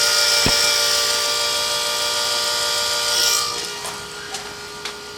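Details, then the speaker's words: FASS 220 fuel lift pump newly installed on 2006 Ford F250 6.0 Powerstroke, key-on priming on a cold day: quiet steady high-pitched hum stopping cleanly, then light clicks; normal, not loud. "you really I mean yes you can hear it but it's it's it's not loud"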